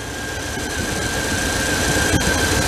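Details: 1997 Dodge pickup revived after sitting about four years, running about five minutes, charging above 18 volts, burning off oil: steady, even hum with a faint whistle, no knocks or misses; normal idle.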